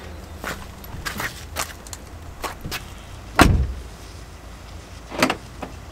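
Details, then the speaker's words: Car door with keyless entry, door card off: door shuts with a solid thump, then a crisp lock clunk a couple of seconds later as the locking engages normally. "up yes actually locks lock it keys I ain't gonna press them yes I can't believe it I've done it"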